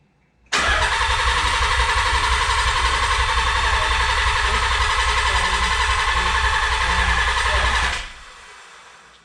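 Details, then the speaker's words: Nissan 300ZX after winter storage: 10 seconds of steady starter cranking at about four turns a second with the CAS disconnected, so no fuel or spark and no firing. Primes the oil pump before first start. "I did it for 10 seconds you hear the revolutions like I said all this is to do is get the prime the oil pump and get oil everywhere and the engine"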